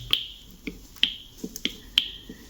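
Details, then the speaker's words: Erbauer EAPS600 airless paint sprayer red pressure-release button pressed repeatedly; sharp crisp clicks about every half second; the button releases pressure and can help free a motor stuck from hardened paint; working normally. "That releases it. If it's sticking inside, that'll release any and help free up the motor."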